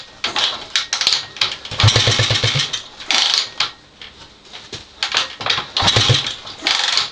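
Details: Honda XL250S after renovation: repeated bursts of fast, even cranking pulses with pauses between, never catching into a run; cranks but will not start.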